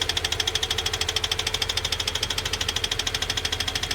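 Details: Toyota 86/Subaru BRZ/Scion FR-S FA20 engine with rod knock: rapid, sharp, evenly spaced knocking at idle from a worn rod bearing, heard against a healthy FA20 for comparison.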